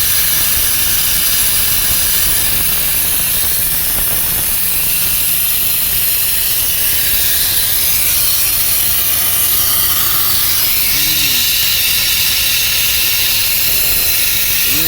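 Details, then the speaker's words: Volvo FMX 440 truck with weak exhaust brake, diesel running: constant sharp hiss of escaping air on the right side of the engine at the exhaust pressure governor (EPG), which must be removed for testing. "Bagian sini ya, EPG. Berarti kita harus turun ini EPG SI."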